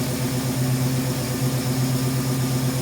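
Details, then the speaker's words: 1971 Ford Mustang Sportsroof (351 hashtag), first run after sitting 13–14 years, no coolant in it: steady, even idle with smooth low beat, no knocks or misses; slight blow-by noted. Normal idle, engine sounds healthy. "Got a little surface rust around it, but it ain't a bad old car, to be honest with you. That sounds pretty good."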